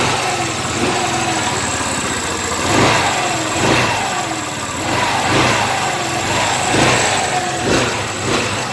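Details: Car after brake light switch contact repair that had stopped the push-start from cranking: engine starts and settles into a steady even idle with no knocks or misses under background music; runs normally.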